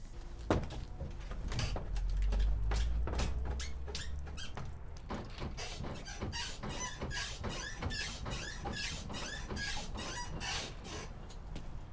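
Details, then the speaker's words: Rear Dakar leaf springs on a 2020 Toyota Tacoma TRD Off-Road, installed two years earlier with a 2-inch lift and upper control arms, give sharp squeaks with each bounce as they flex; owner suspects the pads, not the bushings; zip-tie fixes failed. "so yeah there you have it you heard the squeaking i'm sure there's many people that are familiar with that sound"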